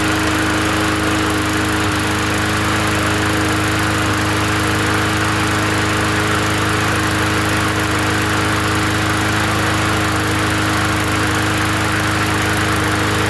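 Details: Free 20-inch Bolens gasoline push mower from the dump, first run after adding gas: a constant high-pitched drone that holds speed without surging or hunting; the engine sounds healthy and steady.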